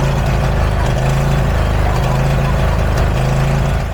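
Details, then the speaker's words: John Deere zero-turn mower engine warm at full throttle: surging rhythmically about once a second, governor linkage oscillating; pulse line and fuel filter replaced, owner suspects lean dirty carb main jet. "It only does the idle hunt thing when it's at when it's at full throttle. So, I think it's running lean, which is why I think that it's the main jet."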